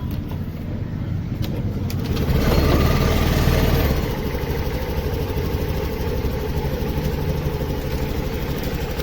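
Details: Honda Activa 6G with missing and starting complaint, after oxygen sensor work: engine catches after a brief surge, then settles into a steady, even low idle with no misses or hunting; oxygen sensor confirmed as fault.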